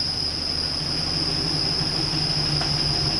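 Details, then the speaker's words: Chevrolet Silverado pickup, first start after draining old gas and adding fresh, idling with good oil pressure; steady piercing high squeal over low idle rumble, owner suspects serpentine belt problem: belt squeal. "Excuse the terrible squealing, but I'm kind of scared to turn it off. I think we've got a serpentine belt problem,"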